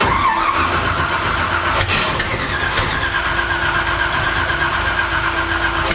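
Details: Twin-turbo Cortina on its first start attempt after a multi-point fuel injection install, with no throttle cable fitted: steady cranking at about four beats a second with no firing. A plug is pulled afterwards to check for possible flooding. Cranking without starting.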